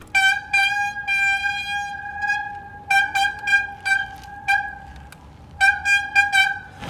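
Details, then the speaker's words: Forward Apache 29 3.0 disc bicycle (2020), X-Spark HD-M220 160 mm hydraulic disc brakes at 1147 km: loud piercing squeal on each light lever squeeze. Brake bleeding, pad replacement and disc cleaning are planned. "на пробеге 1147 километров очень сильно начали скрипеть тормоза пожалуйста послушайте"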